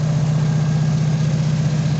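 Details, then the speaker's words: 1988 Chevy S10 engine, just refitted and restarted: smooth constant low idle hum with no ticking, knocking or misses; normal idle. "running again down pretty good sound pretty good"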